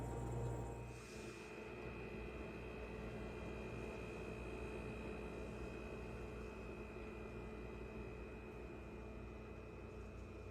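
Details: Newly installed Ca'Lefort 15-inch dual-zone wine cooler refrigerator running with a steady, constant loud buzz and hum that never lets up.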